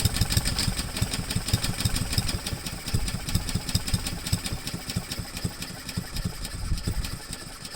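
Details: Honda-powered Husqvarna mower after cleaning a clogged main jet, fresh gas and Seafoam: uneven, stumbling beat that keeps sagging and won't settle, running rough near stalling; past no-start was a dirty carburetor, cause now unconfirmed.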